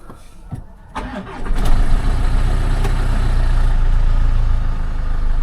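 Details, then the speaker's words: Manual two-wheel-drive car with 2-litre Ingenium diesel at auction, cold start: catches into a rough clattery idle with a loose metallic rattle, most noticeable coming on and off revs; needs a timing chain. "There's like a little bit of a metallic rattle when it, particularly when it's coming on and off revs. Basically, it needs a chain, which in the trade now has actually come down quite a bit."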